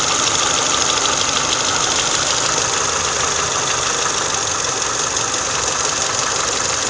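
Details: Idle after an oil change to MOTUL 5W30, valve tapping gone: even, steady idle hum with no tapping from the top end; valvetrain quiet, normal idle.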